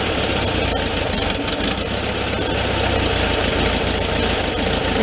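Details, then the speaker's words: 1974 VW Thing, 29k miles, long stored, carb possibly low on fuel after tipping: cold flat-four idles loud and uneven with unsteady chuffing; mixture sounds off, choke being checked, idle speed and mixture screws adjusted. "I can hear right now it's kind of off see if the choke is open all the way yeah I can even hear that they got it kind of the mix is off"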